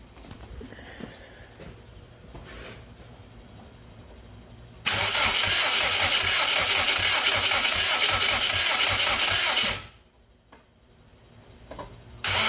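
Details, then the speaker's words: Subaru Brat with WRX engine swap, fuel pump apparently no longer running (owner unsure if out of gas), no spark, no sputter even on starting fluid: quiet hiss, then five seconds of fast steady cranking that never catches; cranks, no start. "no sputtering the fuel pump doesn't seem to be running anymore I don't know if that out of gas and it's trying to run but I don't hear doing anything at all but either way now I'm getting no spark as I'm about to show you"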